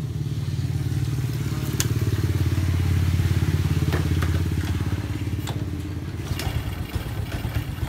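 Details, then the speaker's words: Honda Supra 125 after cylinder block and head reassembly, engine worn from overdue oil changes: even low thumping idle about three and a half beats a second with a light normal tappet tick; now smooth, unlike when brought in. "pasang kalauah sudah halus tidak seperti waktu masuk"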